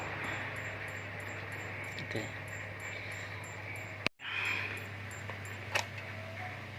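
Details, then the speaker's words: LG Slim (Flatron) CRT TV, dead with no indicator light: at power-on, a sharp ticking about twice a second like a countdown bomb. Likely a shorted horizontal output transistor. "ini kita coba tes ya kita Nyalakan dia mati total lampunya tidak menyala tapi ada bunyi seperti itu bunyinya [Tepuk tangan] bunyi seperti bom hitungan mundur"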